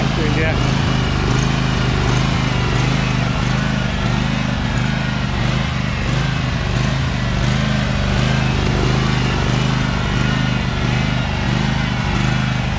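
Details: Husqvarna 2346XLS hydrostatic lawn tractor after rust-bound brake and gas pedals were freed with lubricant: steady, even drone holding speed while driving forward and back, no stalling or stumbling; normal running.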